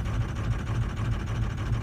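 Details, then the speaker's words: 2004 truck with hot no-start, cold start during diagnosis: low, lumpy idle with uneven thumps roughly every third of a second; power balance shows cylinders two, four and five dead, number two intermittently returning. "four or five maybe number two's dead - four and five are all dead as of right now"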